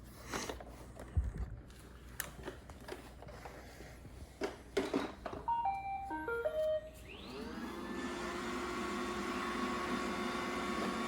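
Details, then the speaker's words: Roomba 960 robot vacuum after removing a stuck hard piece: chime, then steady smooth motor hum and whir, no more squeak. "Yeah, no more squeaks."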